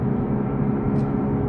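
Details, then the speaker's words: 2007 Mercedes R63 AMG (6.2 L V8) running at speed under load on dyno: constant low howling hum from front end that disappears when steering left; worn front left wheel bearing. "so this is the noise that we're hearing it's kind of a howling humming noise it sounds like it's coming from the front end"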